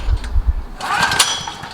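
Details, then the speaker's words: Several-years-old Generac recoil-start portable generator, 36.8 hours, sat for months, 89 octane with Stabil 360 and a new spark plug, choked: low cranking thumps from about 20 pulls that never catch; chronic hard cold starting, cause unknown. "it's just the inherent nature of this start of this generator is so damn hard to start once you started it'll run"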